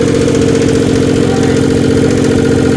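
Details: Twin turbo engine brought back after hydrolock, idling loud and rough with a steady rapid tapping from the top end, lifter tick, with lots of carbon smoke.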